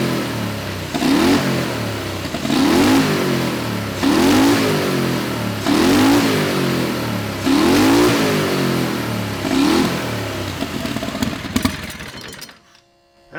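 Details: Turbocharged methanol Predator 670cc V-twin dragster, first run after installing Polaris RZR CVT, checking clearances: six sharp rev blips about every two seconds, each climbing and dropping cleanly; engine and drive running normally.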